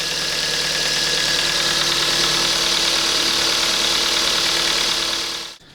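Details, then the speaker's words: 2007 Kia Ceed 1.6 petrol, 150,000 km, after intake cam phaser replacement and loosening an overtight belt: steady, even idle, rattle gone, only faint light valve ticking about three per second; normal. "Ну здається цього звуку Я вже не чую тихенько тут там можливо чути трішки клапанці"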